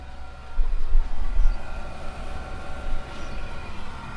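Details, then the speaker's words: Propex blown-air gas heater in a campervan after strip-down and fan repair: steady fan whir with soft even burner rush after the click of ignition, warm air produced; running normally. "So there's fan and there's gas, and I just heard it click in light."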